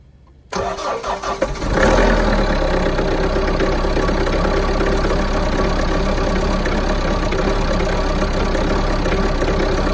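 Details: Mahindra Roxor diesel cold start in winter: cranks and catches, then idles with an uneven, lumpy, missing beat; runs rough for the first one to two minutes after starting, then settles out.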